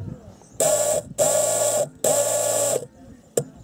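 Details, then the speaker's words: Old fuel pump from a Mercedes W210 that would not start, tested on the bench: loud electric buzz in three bursts, each cutting out abruptly as it jams. Seized fuel pump. "заклинил крутил скрутился заклинил стоит все заклинил"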